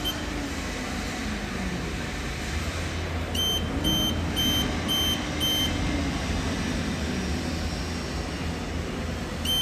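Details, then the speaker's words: HR28 machine after replacing a distorted rubber clutch coupling on site, clutch spinning freely: even, steady motor hum and pump drone with no knocking, a few short beeps; normal running, noise fixed. "so machine is on now and then um let's go to motor info motor is running just fine sounds good nice and"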